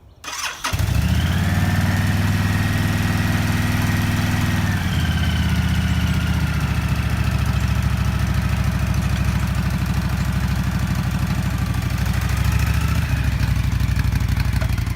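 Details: Honda VTX 1300 motorcycle after a no-start repair: cranks and catches within a second, then a deep steady V-twin lope at idle with no misses or knocks; runs healthy.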